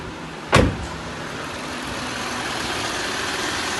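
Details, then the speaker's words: 2018 Jeep Grand Cherokee Laredo after a cylinder 1 misfire was fixed by engine computer update and reprogramming only, coolant steady at 92: one thump, then an even, smooth, steady idle with no stumble. "المحرك صافي."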